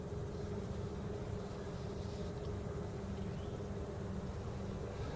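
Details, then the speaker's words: 2001 Ford Explorer Sport with smooth idle and windows up, AC switched on at full blast: steady, even rushing of air with a low hum and no rattles or squeals; the AC blower works normally. "Then you crank this to AC, and it was on full blast. Okay. And here's the AC. Works."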